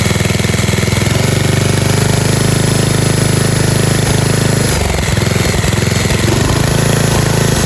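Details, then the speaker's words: 1997 Murray 30575X31A riding lawnmower engine, just un-seized, head refitted missing two broken bolts, cooling shroud off: steady even low putter with no misses or knocks, running well. "runs like a dream"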